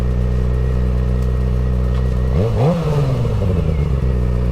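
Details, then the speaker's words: Rebuilt wrecked 2006 Suzuki GSXR 600, first ride after rebuild: strong, even note rising cleanly with revs through a gear change, no knocks or rattles; runs smooth, normal under acceleration. "Oh yeah. Hell yeah. Look, oh my god, that thing's so fun. This thing is crispy."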